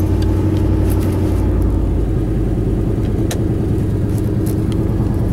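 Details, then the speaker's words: 1990 Chevy Silverado K1500, Chevy 350 engine, 5-speed manual, 4WD, 241,000 miles, heavy rust: deep, loud rumble at steady idle with raspy, uneven exhaust note; exhaust is shot. "so let me fire this thing up this won't be easy to do i'll just not worry about it it's a little loud the exhaust is shot"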